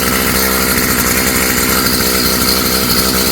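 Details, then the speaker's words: Stihl FS55 trimmer two-stroke after a new Hipa carb kit install, on choke with the air cleaner off: high buzzy note holding fairly steady with a slight rich burble, a decent idle; normal running on choke. "See how it runs without the air cleaner. Not bad. Sounds good. Idling at a decent idle or RPM."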